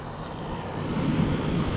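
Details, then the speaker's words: Camper rooftop air conditioner after replacing the fan motor and capacitor (it had no airflow before): steady, even fan hum with the compressor humming underneath, balanced, no rattles or squeals; normal running after repair. "sounds pretty good I hear the compressor on everything nice and balanced"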